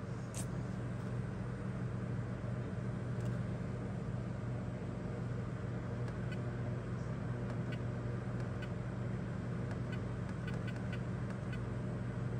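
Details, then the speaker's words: Rheem hybrid heat pump water heater (Generation 5) during troubleshooting: compressor comes on with a steady low hum, constant level, no knocks or rattles, like a refrigerator; normal. "and it's running now you can hear it come on it sounds like a refrigerator or a freezer if you're standing next to it it's not extremely noisy"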